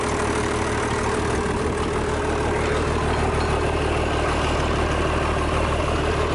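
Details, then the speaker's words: International DT466 diesel with a 5-speed, first start in 8 years, after cleaning out the turbo and freeing a stuck fuel shutoff. It settles into a steady, even, deep idle clatter with no misses or knocks, and sounds healthy. "sounds good looks like it's going to run all right uh I think everything will be fine on it"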